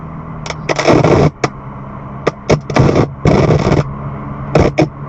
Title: 2018 BMW M2 crackling (screeching) sounds from the speakers on April 22, 2019